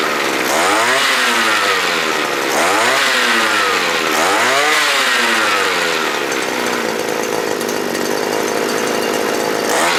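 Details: Small two-stroke earth auger after repair for dying when revved (carburetor replaced; swollen fuel diaphragm suspected): revs up cleanly three times, then holds a steady high buzz without stumbling; running right.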